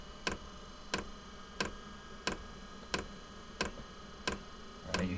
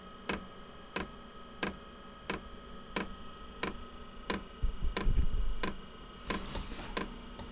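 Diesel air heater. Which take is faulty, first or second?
second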